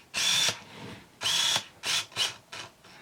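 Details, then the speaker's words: Pentax SF1n 35mm film SLR with 35-80mm Pentax-F lens focusing on a distant subject: short whirring focus bursts, a high chirp beep at focus lock, then a quick shutter snap; normal autofocus and shutter cycle. "Okay. Okay, we heard it beep. That beep is a feature that you can turn off, and I'm going to do that just for the rest of our demonstrations."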